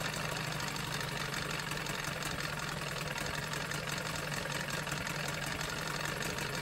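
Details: Johnson 9.9 outboard after carb kit rebuild and new plugs: steady, even idle with constant low hum, no misses or knocks, running smoothly and quietly; normal idle.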